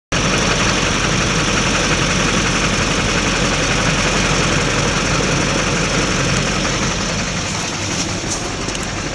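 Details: 2004.5 Duramax LLY diesel truck: loud clatter with an uneven, lumpy beat at idle, then revved slightly, after which it levels out and idles fine; rough idle, cause not found.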